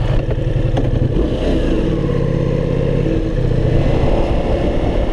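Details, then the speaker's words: Ducati Multistrada V4S after a no-start problem (it had stalled four times at intersections), now starting well: steady, even V4 drone pulling away smoothly under light throttle on a ride, no misfires or stumbles; runs fine. "ah the sweet sound of success the bike actually starts well"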